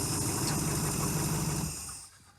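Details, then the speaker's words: 1971 Chrysler eight-door airport car engine after epoxy repair, running without coolant: steady, even low idle for a couple of seconds before dying away; runs good. "Oh, runs good. Wow, that went much better than expected."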